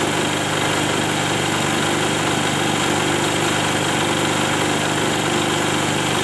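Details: Diesel genset running after an engine overhaul: steady, even drone with no knocks, misses or surging; running smoothly and healthy.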